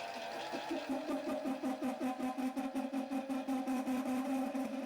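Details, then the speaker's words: Mini-lathe parting off a small steel slug with a parting tool: buzzing, singing chatter pulsing about 2.5 times a second as the blade bites, lathe still has plenty of power. "Now I was able to get a good way through with the parting tool. Still a lot of chatter, but the lathe seems to have plenty of power."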